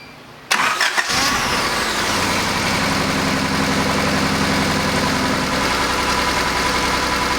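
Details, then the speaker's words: 1988 Honda CRX Si starting after a nipple was cleaned with brake cleaner: it cranks briefly, catches and idles steadily with no misses; a slight shake is blamed on the missing front engine mount and a worn rear transmission mount. "as you can see the engine's running well but it's got a little bit of a shake to it i think it's because i don't have that front engine mount on there"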